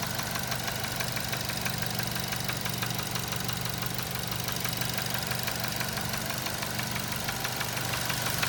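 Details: 2007 Nissan Tiida 1.6 with automatic transmission: steady knocking about three per second over the idle, characteristic internal engine knock; engine replaced with a used contract unit.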